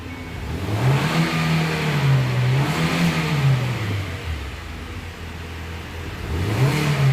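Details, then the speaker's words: Hyundai Creta petrol with no-start complaint, after replacing the faulty relay: engine fires promptly, then revs up and drops back smoothly; starts and runs properly, repeatedly. "చూసారా vehicle వచ్చేసి start అయిపోయింది."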